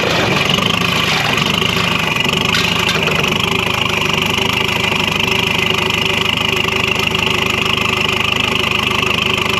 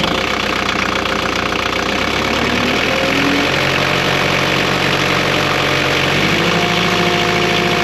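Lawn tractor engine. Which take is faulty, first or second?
first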